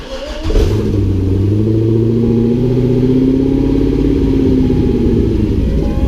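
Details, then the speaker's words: Engine with eBay STS-style twin turbo kit, bigger injectors and new oil supply, test start: good oil pressure but rough, wavering, stuttering idle with check engine light on; vacuum leak suspected then doubted, cause unconfirmed. "Oh, stuttering a lot. Check engine line on. It's a weird noise. Sounds a lot like a vacuum leak."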